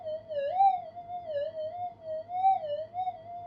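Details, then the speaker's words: Upgraded Minelab GPX 5000 on full gain, double-D coil, in a workshop: wavering whistle rising and falling about twice a second; weak target blips lost in background interference warble. "I can hear the peaks and dips. If that background warble wasn't there, it would be a lot clearer, of course."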